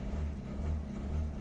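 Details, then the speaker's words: Peugeot 3008 1.6 eHDi 112 hp diesel, automatic, first start after repair, air still in fuel, held at slightly raised revs: low, steady drone without knocking or rattles; engine sounds good. "Déjà, le bruit moteur, il a l'air bon là."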